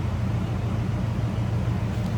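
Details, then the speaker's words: 1973 Buick Centurion convertible, 350 V8, heard at the rear: low, soft, even tailpipe burble with steady beat and no misses; healthy, quiet idle. "Sounds as you'd expect. Nice quiet"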